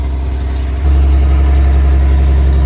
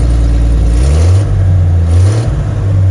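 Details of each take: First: Rusty Toyota FJ40 with 77,000 miles, carbureted, running cold on choke: deep heavy throbbing idle that suddenly grows louder and boomier; owner suspects the carburetor needs a rebuild, or a vacuum leak plus an exhaust leak. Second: Toyota FJ40 with 77,000 miles, cold engine after the carburetor rebuild: starts at once after a couple of pedal pumps, takes quick throttle blips, then settles; fault was a cracked vacuum port and a bend that kept a throttle blade from opening fully.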